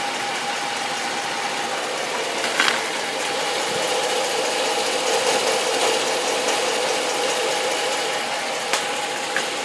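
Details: 2013 Hemi V8 at idle: fast, uneven light tapping about twice a second over a hissy background; an unexplained top-end ticking noise.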